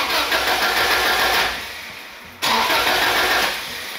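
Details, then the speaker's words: 1997 Subaru Impreza Japanese import that will not start, and no fuel pump prime is heard: long, thin whirring crank that pauses and repeats without firing. Crank, no start; fuel pump circuit suspected. "the car just continues tries to start and never does"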